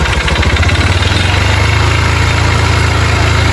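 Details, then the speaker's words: Motorcycle brought in for engine noise; at idle, uneven single-cylinder thump under a rattly clatter. Engine also smokes and throws oil. Internal engine noise, cause unknown. "E aí, qual o problema da moto? Fazendo barulho no motor. Tá fazendo o quê? Barulho no motor."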